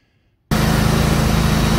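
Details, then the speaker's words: John Deere X320 riding mower with 48-inch deck, after deck belt replacement (part M154958): the engine catches after half a second and settles into a steady even drone with no slipping or squeal; running normally. "i've got it fired up okay so it's good to go now"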